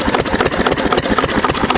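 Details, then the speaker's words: 6 HP Witte single-cylinder diesel, revived after 30 years with valve work, oil change, fuel-system cleaning; governor spring removed, running about 300–400 RPM versus roughly 750 rated; slow, even thumping, no misses, not much smoke; slow idle. "Right now it's probably only doing 300 350 RPM maybe four. So really significantly less. See not much smoke at all."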